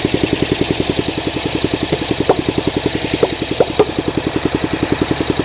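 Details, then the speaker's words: 1971 Honda SL125 single, long-sitting, freed seized engine, fresh battery, idle and air screw raised, no throttle cable fitted: uneven popping about three to four beats a second with stray pops; rough stumbling low idle. "Come on, it's popping. It wants to. Boy, if I had a throttle, I think this thing would work."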